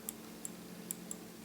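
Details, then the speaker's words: 2013 Mazda6 hood latch switch, arm bent so it contacts latch armature as latch closes, fixing switch not closing circuit (suspected random alarm cause); four crisp light clicks: normal hood latch switch click. "okay and if you listen carefully that's the point at which it makes contact and then it continues around here to close okay closes in that position"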